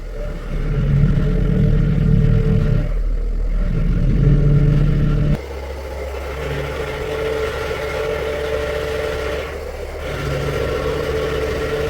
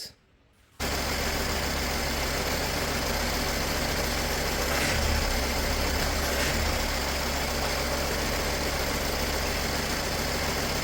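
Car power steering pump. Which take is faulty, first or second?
first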